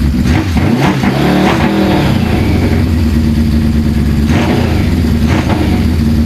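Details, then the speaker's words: Suzuki GS550 cafe racer, previously running on 3 cylinders with cylinder 3 not firing, after carburettor strip; crisp even throttle blips rising and falling cleanly with no stumble, running on all four. "[Music] there we go oh that is bloody good oh just checking F leaks this usually a leak after I start this"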